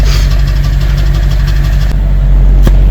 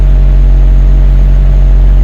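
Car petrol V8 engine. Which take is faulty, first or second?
first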